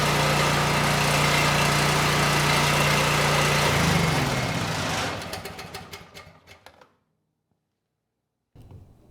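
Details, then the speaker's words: Homelite 5000 W generator with a 9 hp Subaru engine, its governor speed screw spun by an impact gun so it runs below governed speed, target about 61.5 Hz: steady drone that sags in pitch and winds down to a stop. "Yeah, I think the impact actually spun the screw as well. So, the engine speed's going to be even slower than it was."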